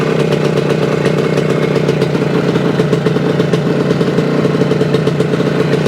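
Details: 1975 Suzuki TS-250 two-stroke, 6-volt system, after no-start repair: crisp, even idle with steady crackle, no misses or knocks; runs healthy after stator rewired, frame paint scraped and coil remounted for ground.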